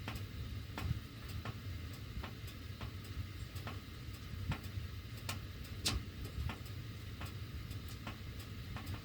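Sharp, irregular ticks about once a second over a low furnace rumble; the ducts tick while the heat runs, cause unknown.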